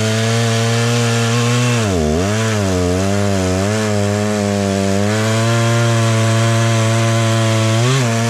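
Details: Stihl 036 just rebuilt with a new piston and head torqued to spec, tested outside: strong two-stroke buzz dips as the chain bites, recovers, then revs cleanly; running well.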